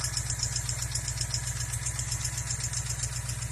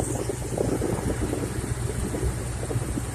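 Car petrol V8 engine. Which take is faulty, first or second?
first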